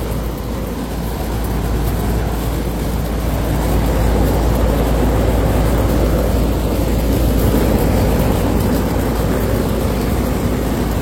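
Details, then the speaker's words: Loud running AC unit with a non-original fan motor rated 1.8 and a good compressor: steady low roar and heavy fan drone, no tick; fan bearings sometimes audible, but frame shaking is the leaning suspect. "kind of loud too. When I was reviewing back when I'm editing the video, sometimes y'all can hear the bearings, but I can't hear it right now."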